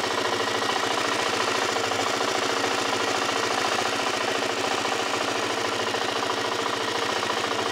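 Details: Suzuki LTZ 400 quad engine at steady idle with a fairly even light ticking, three or four a second; engine tick, cause unknown.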